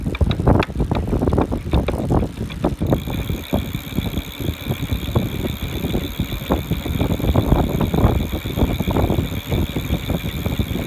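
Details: Brand-new Buzz Charter F e-bike, first pedaling: loud frequent irregular metallic knocks from the rear hub motor over a faint high motor whine, as if metal parts collide inside the motor.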